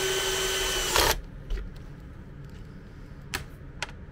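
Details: MET AIR T-100 anti-bedsore mattress compressor, after repair of a dropped-out internal contact that stopped it switching on: even buzzing hum and steady whine for about a second, then stops; normal running.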